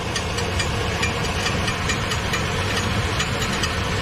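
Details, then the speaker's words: 2013 Chevy Silverado, complaint of oil leaks and strange noise, heard from underneath at idle: uneven metallic knock about twice a second, flywheel striking the starter; oil leak suspected from rear seal. "right there see it the noise that noise that sounds like the fly is hitting the starter that's a middle the middle hitting the stutter flye hitting the stutter"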